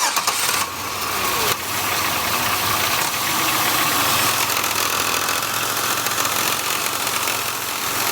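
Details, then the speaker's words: Oldsmobile 3400 engine with high mileage at idle: busy metallic rattle from the belt drive, loudest at the alternator by stethoscope; loose alternator pulley chattering. "I've already put my ear to the belt drive system with a stethoscope and it came up really loud on the alternator"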